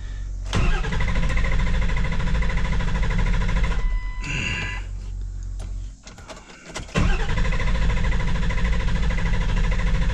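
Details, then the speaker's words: 7.3 Powerstroke diesel with a hot no-start, cranking to about 2000 on the gauge: two long bursts of steady, even cranking that never fire; crank no-start, later traced to the camshaft position sensor. "all right about 2000 it wants to try and start but it's not starting"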